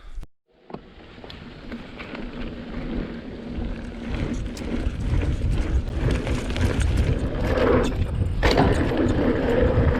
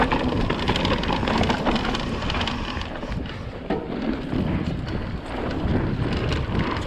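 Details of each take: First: 2020 Vitus Sommet CRS mountain bike at Aston Hill, chest-mounted GoPro, after wrapping the internal cables in split braided sleeving: only tyre hum and chain noise rise with pace over rough ground, no tapping from inside the frame, cables now quiet. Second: 2020 Vitus Sommet CRS mountain bike, chest-mounted GoPro while riding Aston Hill bike park, before fix: irregular light clattering ticks over trail and wind noise from internally routed cables slapping in the frame; fixed by wrapping cables in split braided sleeving.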